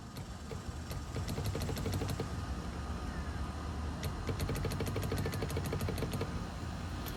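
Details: Tigershark jet ski two-stroke, first start attempt after sitting 15 years, tiny fuel dump primed: uneven popping with sharp ticks, runs briefly and raggedly, won't settle; engine still wet, cause not confirmed.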